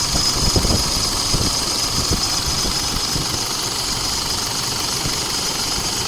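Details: Isuzu D-Max diesel at idle after AC compressor clutch replacement and refrigerant refill: idle clatter under steady hiss, no grinding or clutch chatter; compressor running normally.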